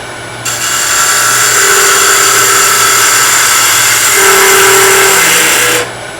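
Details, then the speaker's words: Skew chisel on a wood lathe cutting short softwood stock too wide during stock reduction: steady cutting hiss with an intermittent buzzing hum of tool chatter and vibration. Taking smaller cuts is the fix. "well on this particular piece of wood it's a soft wood and it's fairly short stock it's working okay but can you hear the vibration it's too wide that's not a good cut"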